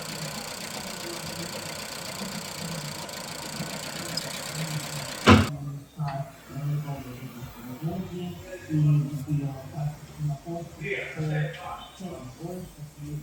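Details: Nissan Juke: after a loud rev settles to lumpy, uneven idle with stumbling low throb and loudness dips; misfire at idle.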